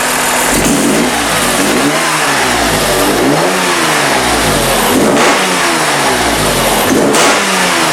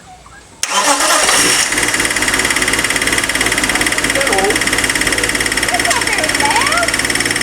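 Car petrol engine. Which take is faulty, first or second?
second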